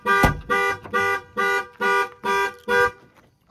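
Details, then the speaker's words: 2000-era Jaguar S-Type left in a carport about 6–9 years, master switch turned on: seven loud, even honks at about 2.5 per second, then silence; alarm tripped, showing battery still holds charge. "got some battery left cuz the alarm's gone off."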